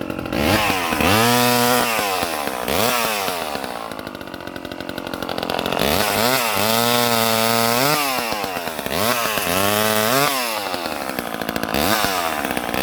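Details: Late-1970s Craftsman 2.1 vintage mini chainsaw (rebranded Poulan 25DA) cutting: crisp two-stroke buzz rises to a high scream on each rev, dips as it bites into wood and recovers cleanly; healthy saw.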